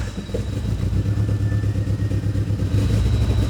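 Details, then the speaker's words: Eagle Talon after an engine rebuild, with the cam angle sensor reset, idles roughly with an uneven, stumbling low pulse, still running lean; the tune showed it needed more fuel, and the injectors were found damaged. "It's still running lean. I don't know what it's doing."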